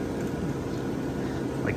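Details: Vintage Westinghouse 10,000 BTU window A/C; even steady airflow rush over low hum, no knocks or rattles; smooth runner, normal running.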